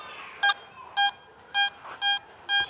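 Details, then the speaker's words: Garrett metal detector on a sand beach giving a higher target reading around 80, later dug as a coin. Five short, clear, high beeps about half a second apart over a quiet background. High target tone. "there's something that's hitting a little bit higher like around 80 let's see be deep up there got it"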